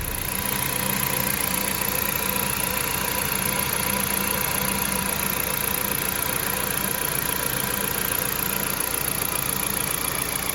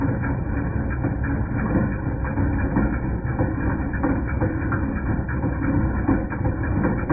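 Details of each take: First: 2010 Jeep Patriot Sport 2.0 petrol engine idling smoothly and steadily with an even hum, no clanking from the belt drive, after the alternator, belt and pulleys were replaced (power steering pump replaced earlier didn't help); metal clanking noise gone, normal idle. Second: 2010 Jeep Patriot Sport 2.0 at steady idle: irregular metallic clanks about once a second; not the replaced power steering pump, pulleys, tensioner or belt; alternator replaced and noise went away.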